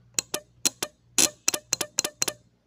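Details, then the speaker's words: Automotive relay on the bench, coil energized with positive on terminal 86 and negative on 85: about nine crisp separate clicks in under three seconds as the internal contact pulls in, so coil and contact are working properly. "pueden ver se escuchan pequeños clips eso quiere decir que nuestro elevador se está accionando lo que es el platino internamente que sería este de aquí se energiza la bobina y nuestro platino está haciendo ese clic clic clic"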